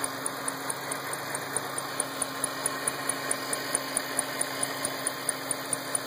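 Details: 2008 Shelby GT500 engine ticking at idle: sharp, light tick about 136 per minute over a quiet steady idle; top-end tick, cause suspected but not confirmed.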